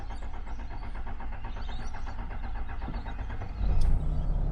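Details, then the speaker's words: Flood-damaged Toyota LandCruiser HDJ100 with 1HD-FTE diesel, first start after engine work: slow even starter churning over three seconds before catching, a long-crank hard start. Owner suspects air in the fuel filter drawn into the injector pump; no horrible noises once running. "a bit of a hard start condition there fellas but it's running and it's not making any horrible noises I think the issue with the hard start is actually to do with air in the uh fuel filter"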